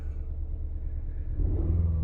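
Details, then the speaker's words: 2016 Ford Explorer 3.5L EcoBoost V6 at idle after a spark plug change: uneven stumbling beat with a periodic dull thud from a misfire; codes pointed to ignition coil 2, which had been left unplugged. "Once you get done, you got to clear the codes, which I did already before I even stopped. It almost sounds like a mist going on."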